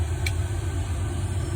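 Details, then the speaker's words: Newly installed diesel heater running with its fuel pump going: a steady, even low hum with no knocks or surging, set to 40 degrees and pumping out a lot of heat; normal healthy operation. "So I think I got this new diesel heater working. It's the fuel pump's going, and you can obviously hear"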